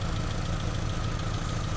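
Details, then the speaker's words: 2002 Honda Civic with code P0303 cylinder 3 misfire, power balance test: unplugging cylinder 3 coil changes nothing; uneven idle with regular stumble about eight times a second, one dead cylinder; misfire. "I unplug cylinder 3 nothing happened see that it still sounds the same so that's already a big sign that silicon has a problem"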